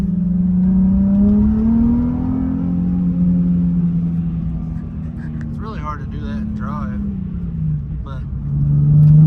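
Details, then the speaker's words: Nissan 350Z after parts replaced for random misfire and rough idle: engine note climbs and falls smoothly under load on the street, no stutter, popping or missing, no check engine codes; seems fixed for now. "it seems like it's running great I haven't heard any of the misfire or the rough aisle or anything yet no check engine codes"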